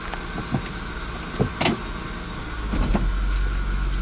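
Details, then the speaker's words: 2000 Honda Accord Coupe V6 automatic, cold morning after sitting overnight, idling about 15–20 seconds, before a fluid change: a single dull clunk when shifting into reverse. It did not repeat on the second shift. "not sure if you saw that or heard that but it made a large clunk it might do it again if I shift into reverse nope not anymore"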